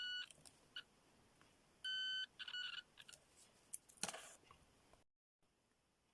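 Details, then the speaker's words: Continuity tester that uses tone pitch to indicate resistance or forward voltage drop: short clean mid-pitch beeps as probes touch, higher pitch meaning less forward voltage drop; tester working normally. "higher pitch less forward voltage drop"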